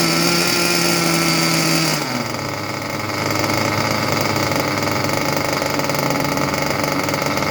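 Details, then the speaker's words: Junkyard Mutt nitro engine on a break-in stand, first start with the shroud off: buzzy high note drops and turns rough, burbling and uneven after two seconds; rich mixture, needle seemingly very far out. "It's rich, but boy, did that thing sound not bad at all."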